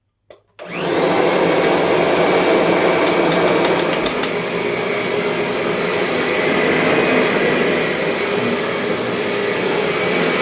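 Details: 2001 Kirby G6 vacuum after refurbishment with new bearings and upgraded transmission gears and belt: motor spins up quickly to a steady, even roar with no gear whine on top; normal vacuum cleaner run.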